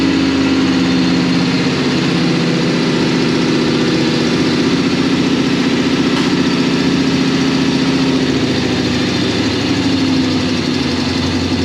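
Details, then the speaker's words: 1957 Chevy V8 just after first start, in neutral: a steady, even burble at about three and a half pulses a second with no knocks or misses, quieter than expected; normal idle. "I thought it'd be way louder. I'm glad it's not."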